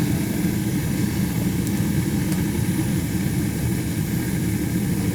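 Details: Old gas boiler, probably 50+ years, leaking water, not heating house, 100k BTU, pilot staying lit: after turning it on, a steady even low roar with no popping or fluttering; burner lit and firing cleanly.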